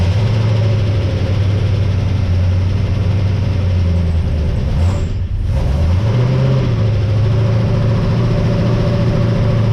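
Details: Ford XG ute V8 just fitted with CNC ported heads and VCM 13 cam, first run on old oil: deep steady idle with brief dip and recovery midway; runs smooth and even.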